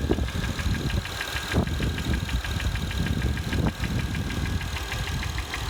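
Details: 2005 Acura TL, 172,300 miles, at steady idle: sharp regular tick-knock about five times a second riding over the engine; engine knocking, cause not yet pinned down.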